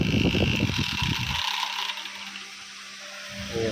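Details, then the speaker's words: Small 12 V fan of the type fitted in cars and autos, after the noisy fan is switched off and another runs: clatter gone, soft steady hum with no scraping or wobble. Normal fan running. "ஸ்மூத்தா வருது பாத்தீங்களா இந்த pan வந்து பக்கா வருது."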